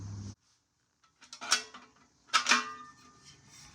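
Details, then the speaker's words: Muffler from a small-block Camaro shaken by hand: metallic clanks and rattles from a baffle that cracked off its weld and floats loose inside, changing the exhaust sound. "so if you can hear that rattling around in there one of the baffles has completely cracked off the Weld and it's kind of just floating around in there so kind of uh kind of changes the sound a lot"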